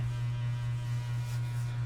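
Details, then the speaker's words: Hampton Bay Minuet II ceiling fan, 21 years old, on high speed: loud steady low hum drones constantly, fan vibrating and humming like crazy on high; motor hum attributed to bent blade brackets, correct replacement brackets on order. "so as you can see as you can hear that not only that the ceiling fan is vibrating and stuff it's vibrating the"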